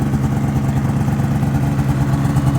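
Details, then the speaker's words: 2005 Ski-Doo MX-Z Renegade 600 H.O. SDI after fuel pump, pressure regulator and strainer replacement for hard starting; started within two pulls after overnight cold soak, quick even two-stroke burble at elevated cold idle, no misfires; normal cold idle. "system's pressurized should expect to see the RPMs up higher like this"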